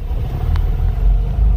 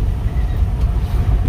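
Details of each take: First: Qute driving over bumps: heavy road rumble with separate dull thumps every second or two, before parts replacement; worn upper control arm knocking. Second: Qute, driving over rough street after replacing the damaged upper control arm: steady low road rumble with no clunks or knocks from the front end; suspension quiet, previous knock gone.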